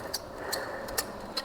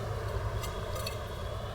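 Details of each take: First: Ceiling fan making sharp metallic ticks, two or three a second, over a soft running hiss; its bearing grease has heated and dried out completely, and the fix is to open the fan and re-grease the bearing. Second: Ceiling fan after both bearings were greased and freed, spun by hand: soft, even whir slowly fading as it coasts, no grinding or clicking; bearings now turn freely.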